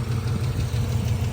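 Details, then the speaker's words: 1990s SUV engine fires right up but idles lumpy and uneven with a stumbling low pulse and faint puffing tick, sounding down a cylinder; owner attributes it to an exhaust manifold leak on one side needing replacement. "she fires right up but as you can hear it's got a stumble it's got a manifold leak on this side which sucks cuz this is the tough side"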